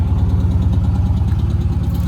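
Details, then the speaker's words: Damaged Dodge Challenger SRT 392 V8 at Copart, check engine light on, was smoking: deep steady idle with faint light tap on top; motor suspected abused and possibly blown, cause unconfirmed. Engine ticking at idle. "Yeah. You hear the little motor, got a little tap in it."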